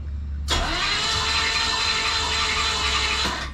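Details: Newly bought project car, spark plugs removed, starter fed by jumper wire: steady fast starter whir for about three seconds, engine spinning freely without firing, then cuts off; no spark found.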